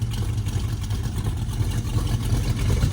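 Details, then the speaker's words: Dodge Dart after swapping a gummed-up Edelbrock carburetor for a 4150 double pumper; low steady burble at idle with even firing and no misses; idles much happier. "Hit the key on this bird. Fires right up. Listen to this thing. Idle so much happier."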